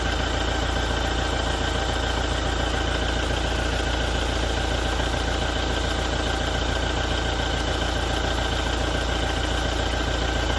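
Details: 2017 Toyota diesel after a major service: steady idle with a regular knocking rattle, about three to four knocks a second, cause unknown.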